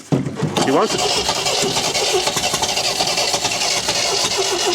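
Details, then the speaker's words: 1974 MGB GT sat for 29 years, points reinstalled, spark present, petrol poured down the carb: spins over on the starter and only briefly catches on the poured fuel, never running on its own; suspected float bowls not filling, fuel starvation. "it's like it's not it's like the float bowls aren't filling you know"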